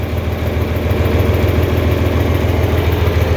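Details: 4020 LP propane tractor idling. Even, low putter of about 200 beats a minute, steady and smooth with no misses. A healthy idle.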